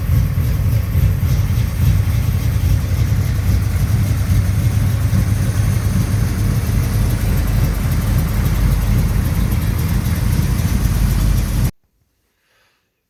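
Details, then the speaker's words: 1983 Chevy C10 stepside with 383 stroker V8, cold start: deep, steady idle with an even lumpy pulse, no misses or knocks; normal cold start idle. "okay let's do a cold start on this 1983 Chevy C10 with a 383 stroker in it"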